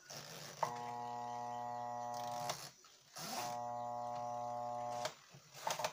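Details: Tub-type clothes washer (tanquinho) that stopped agitating, with bearing noise noted: steady low electrical hum for about two seconds, twice, nothing turning; motor energised but agitator not moving. Cause suspected, not confirmed.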